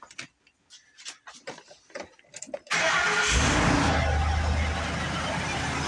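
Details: 2004 Ford Expedition 5.4 after new alternator replacement: starter catches quickly, settles into smooth even idle with steady low hum, sounding healthy; running voltage about 14.5 V with a low battery.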